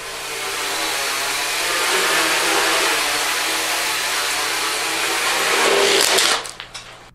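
Steady high buzzing of props at hover, then a sudden drop-off and sputtering bursts as power cuts out; an overheating speed controller shut a motor down.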